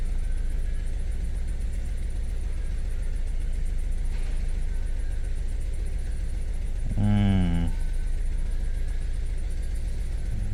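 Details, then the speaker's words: 2012 Suzuki Swift 1.4 litre petrol with engine light on, scanner reports cylinder two misfire; low idle with uneven loping beat about four times a second and a brief chime, engine missing on one cylinder, suspected cylinder 2 misfire, relative compression test next. "okay that's the one it is then auto cylinder two misfire detected"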